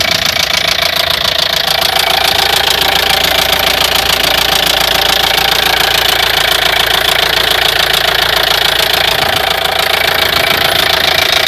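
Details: Opel Vivaro 1.9 F9Q diesel running with a sharp, steady knock about four per second over the clatter, appeared suddenly at 1500 rpm, independent of engine temperature; timing belt already replaced; spun crank bearing.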